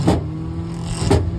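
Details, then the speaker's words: Frigidaire FFTR2021QS1 top freezer with ice buildup, just fitted with a new Electrolux 242077705 evaporator fan that is not yet bolted in: a steady low fan hum with a light scraping swish about once a second, the blade rubbing slightly. "a little loud, like it's hitting. So let me see if I can. Okay, well anyway, it's working. It looks like it's like rubbing slightly."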